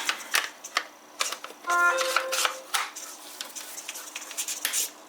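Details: Old HPI Savage 25 nitro RC monster truck, receiver powered by battery pack: short buzzing whirs and sharp clicks as servos sweep and stop, quiet gaps; servos working normally.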